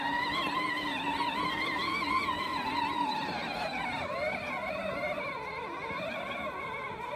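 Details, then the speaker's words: Power Wheels ride-on toy with bike-tire tread mod, driving through sticky snow: thin motor whine wavering and sagging, short of power; owner thinks the battery was getting worse. "so you'll hear it's kind of struggling a little bit with power. I think the battery was just getting worse."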